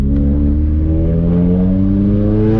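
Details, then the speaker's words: Subaru on a test-drive pull after fixing its misfire with new spark plugs, oil, trans/diff fluid and intake cleaning: clean, steady pull with pitch rising evenly and no stumbles. Normal acceleration under boost; it feels much better. "oh yeah felt a lot better a lot better a lot better"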